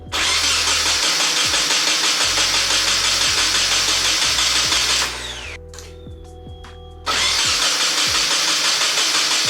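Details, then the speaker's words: Nissan 240SX, first start attempt after sitting 10 months: repeated starter cranking bursts with whirring spin-ups, turns over but never catches or stays running; cause not yet found. "the car sounds crazy I'm at least excited to hear it at least like turning itself over and cranking for a little bit I just have to figure out why it doesn't stay alive"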